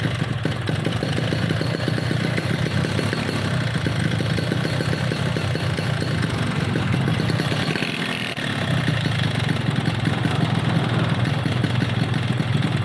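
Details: RX two-stroke motorcycle lacking power, with poor compression and overly stiff reed membranes: rough, uneven idle with a gravelly rattling edge and a brief dip. Cracked piston.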